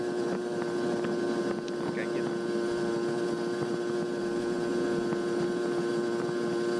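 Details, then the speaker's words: Barn-find 1981 Honda Express NC50 two-stroke moped with a Dellorto SHA 1515 carburetor, ridden at full throttle slightly downhill; a steady, high buzzing drone holds an even pitch under wind noise with no four-stroking burble. Normal full-throttle running. "but right here you can hear the RPMs go to a higher pitch. And for some reason it's not 4-stroking here, even though we're going slightly downhill."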